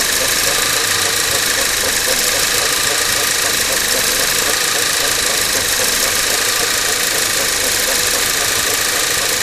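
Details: Skoda Octavia 1.8 TSI, 17,000 km, mostly highway, engine built 02/2012, no oil consumption: shuffling hissy rush over a faint idle, appears cold a couple of minutes after start, lasts 3–5 min, rising in frequency over time; cold-start engine noise, source unknown.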